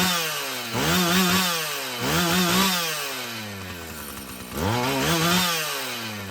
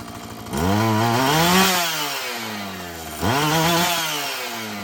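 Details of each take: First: Husqvarna 445 chainsaw after cleaning and tune-up: revs up cleanly and drops back about every second, picking up crisply with no bog or stumble; it runs healthy, though the carburetor may need more adjusting as its diaphragm loosens. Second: Husqvarna 445 two-stroke chainsaw that bogged when lean, restarted after richening the high-speed screw, before cleaning and final tune: revs up twice and falls back steadily without bogging. Running cleaner; owner expects it to keep improving.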